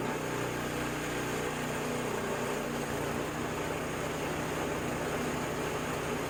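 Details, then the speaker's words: Ariens 724 snow blower, unused 2 years, after carburetor clean and rebuild; primed, no leaks, choked for start. Small single settles into a steady, even idle with a constant low hum and no misses, hunting or knocking. "so let's start it up i already primed it to check it make sure it doesn't leak which it does not choked"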